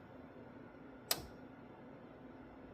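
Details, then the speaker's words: 1968 Triumph Spitfire MK3, newly added 12V headlight relays, camera close to the relay: one crisp, sharp click in a quiet background as the high beams switch on; the high-beam relay is pulling in cleanly. "Should have heard a little click there as the high beams came on. Now, when I turn the high beams off, you'll hear another click as the relay turns off."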